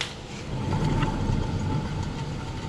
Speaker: Hear that awful grinding noise? Well, guess what? Of course it's a Subaru, and now we're gonna get on to it.